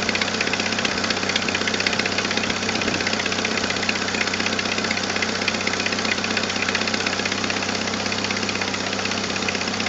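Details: 1997 Jeep Wrangler TJ 2.5L at idle with a leaking exhaust manifold gasket and a missing manifold stud: a sharp, steady tick about two to three per second, puffing in time with firing. The fix was a new gasket and stud.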